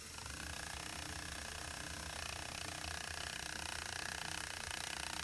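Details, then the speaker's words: Card held against gears of a straight-driveshaft U-joint demo, mic beside the gears, motor running: quiet, fast, even card-on-gear buzz with no pulsing or swell, driveshaft turning at constant speed. "so got the motor going and I'm just going to hold this playing card you can hear that's pretty constant"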